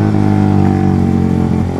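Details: Suzuki GSX motorcycle with Pro Liner short slip-on exhaust: deep drone that wavers and hiccups at low revs instead of pulling clean; loud but brebet (stuttering) low-rpm running blamed on the short exhaust, also said to worsen fuel use.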